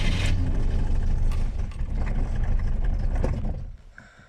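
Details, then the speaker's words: Moskvich 412 in winter at about −15 °C, cold start: heavy, labored cranking churns for several seconds without catching, only two pops, then dies away; hard cold start with long cranking, cause unknown. "идем запускать признака жизни не дал два хлопка каких-то было"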